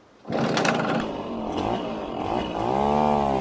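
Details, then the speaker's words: 1973 Casal K197 moped, Portuguese-built under Zündapp licence, two-stroke, run after refuelling: catches and buzzes crisply, climbing smoothly in pitch, pulling uphill under load; needs slight adjustment, otherwise runs cleanly. "oh it actually got pulling power it's going uphill"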